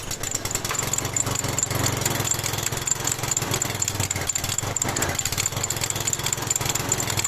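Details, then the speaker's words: Lawn mower single-cylinder engine, smoking heavily, running rough at raised revs with faint light metallic ticking; valve tick, likely from excessive valve clearance, checked by removing the valve cover after confirming crankcase oil level. "В данном видео поговорим о том, почему же на газонокосилке двигатель сильно дымит, а также присутствуют посторонние звуки, шумы в двигателе, особенно на повышенных оборотах появляется звук металлического тиканья."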